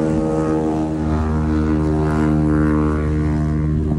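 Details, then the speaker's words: 20B three-rotor race car rotary at the track: loud steady drone with uneven, lumpy beat about four pulses a second, sounding like it's on one rotor; suspected clogged fuel filter, TPS also checked, unconfirmed. Engine misfire. "sounds like it's on one rotor I reckon he needs to clean out the uh fuel filter"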